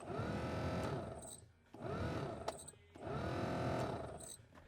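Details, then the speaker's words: 2000 Chevrolet pickup (6.0/5.3/4.8), sat in a field about 5 years, cycling blower switch from speed 4 to 5: blower whirs up and down in surges with a rough dry whine. Suspected dry blower motor bearing. "Definitely sounds like a dry bearing or something in the blower motor."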